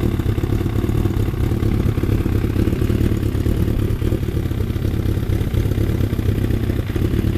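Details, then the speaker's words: Freshly rebuilt Thunderace engine at initial start-up, oil double-checked, water leaks still present: a steady, low, even idle with busy mechanical clatter on top. No misfire or stumble; normal tickover. "I'm gonna try and start it again and just uh leave it ticking over a tiny bit"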